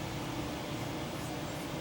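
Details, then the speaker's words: Cooling fans on a charging car's battery heat-exchanger radiator, run by the air-conditioning system while charging: quiet, steady whir with a faint constant hum, no pulsing or scraping; normal operation. "it's got its got a radiator on it right for that for the for the eight aircon and it's got an electric fan on so the fans have fired up on the on the heat exchanger"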